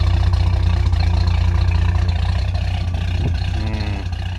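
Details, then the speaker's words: Ford XG ex-police divisional van petrol engine after retightening the exhaust manifold: quieter but uneven idle with a fast ticking puff near four per second over the exhaust note; exhaust manifold joint leak persists. "Definitely quieter, but you can definitely hear an exhaust leak still down there. It's running a bit rough."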